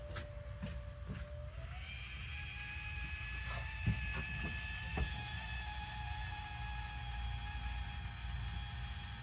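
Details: 4A-FE swapped 4WD Toyota Tercel wagon, first start after replacing a broken timing belt; engine catches and settles into a steady, even run with low rumble and faint constant whine; normal running, sounds healthy.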